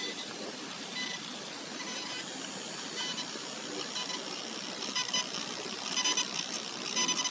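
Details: Asus ROG GL703GE-GC038T laptop with fans off, HDD disconnected and SSD only, volume raised about 10x: thin high-pitched whistle with chirping bursts about once a second, coil whine from the chokes.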